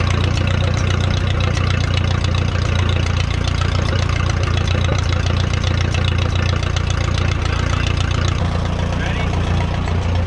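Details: 1957 Case 310 Terratrac loader, not run in over 20 years, restarted after stalling: low, lumpy, floppy idle with uneven firing pulses around 220 per minute. Helpers suspect low fuel pressure or lack of hydraulic load; they call compression good and heavy.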